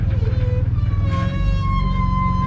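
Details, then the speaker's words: AU drift car with a newly installed exhaust at a lumpy low idle: a loose, buzzy rattle comes from down low, where an exhaust hanger is touching the spare tire holder. Rubber padding is planned as the fix. "oh God that noise horrible there's like the hangers touching the spare tire holder so probably gonna put a bit of rubber on there it's a bit rattly down low"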